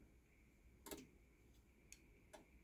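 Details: Cornell MGRL3311E rolling steel door operator, photo-eye safety sensors blocked while closing: a few faint sharp ticks over quiet room hum, under a second apart; opener relays click normally as door stops and reverses.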